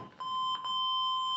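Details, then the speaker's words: 1980 Triumph TR7 brake light switch tested with a beeper clipped to it: steady high beep starts and holds as the pedal goes down, clean and unbroken; the switch is closing properly. "that sounds like the brake bike switch is working anyhow"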